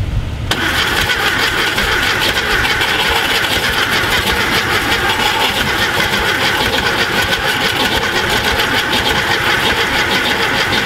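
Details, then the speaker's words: VW Thing Type 181 sitting since 1989 (32 years), cranking on a borrowed Tundra battery with spark confirmed; steady, even cranking about ten seconds never catches; owner suspects low compression in a cylinder, unconfirmed. "that doesn't sound good i'm going low compression that cylinder does not sound good could be wrong could just be like the fan but that spark spark and fuel and battery and timing yeah it just doesn't sound good"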